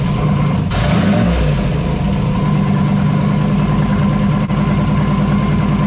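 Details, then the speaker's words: Turbo LS V8 swapped into a VW Beetle, first start after install: fires up into a steady idle with a slightly lumpy, uneven beat, possibly dropping a cylinder; owner suspects a misfire, not confirmed. "It sounds a little funky. Sounds like it might have a miss."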